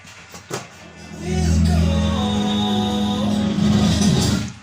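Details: Class A amplifier with output transformers after repair of strange noise, playing music via Bluetooth; clean steady music with solid bass, no crackle or scratching. Amplifier sounds healthy after repair.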